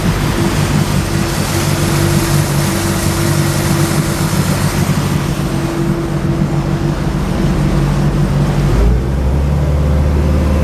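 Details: 2006 Bayliner 175, 3.0, at a constant 3,000 rpm cruise: a deep, even, smooth drone over water noise with no knocks or whine. Engine noise is quite normal and healthy.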